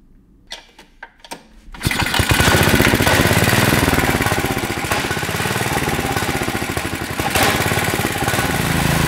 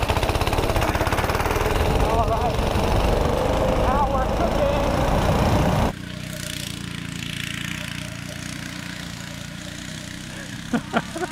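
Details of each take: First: Tecumseh 6.5 hp go-kart engine, air filter freed up: a few cranking pulls, then catches and holds a fast steady buzzing high speed without dropping back; engine not returning to idle, idle circuit suspected. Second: Tecumseh 6.5 hp go-kart engine with freed-up air filter, timed lap run: hard buzzing full-throttle drone for several seconds dropping to lighter steady run, pulls strongly; normal full-throttle running.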